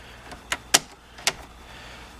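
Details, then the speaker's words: 1986 Mustang GT turn signal switch after replacement. A handful of crisp, sharp clicks as the lever is thrown, each detent firm and strong: the new switch works properly. "So it's nice and clicky. It's nice and strong. It feels nice and new."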